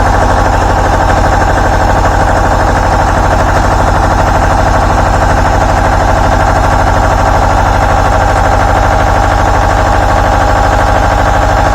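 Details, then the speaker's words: Two-cylinder Deutz 1011 diesel driving an air compressor, after teardown and repair of prior rough running, fuel system not bled: steady, even idle with regular firing beat, no misses, knocks or smoke; normal idle. "no smoke nice and smooth sounds good hopefully next time I go to use it it don't give me no more trouble"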